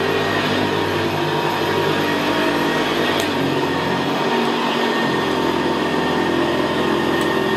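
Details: 1975 Hoover Senior Ranger U4002 vintage upright vacuum on carpet: steady, quiet motor drone with a low gravelly brushroll growl, more audible where carpet is squashed down; typical of the Ranger. Normal running.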